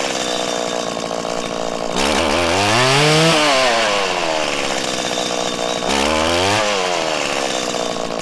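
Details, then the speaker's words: 1997 Stihl Pro Series FS two-stroke trimmer during carburettor tuning: the low-speed screw set too lean makes revs stumble and break up on the ramp-up with a larger dead zone. It is then backed out a sixteenth. "you could hear when i went too lean and it started to break up and it was having trouble ramping up there was a larger dead zone"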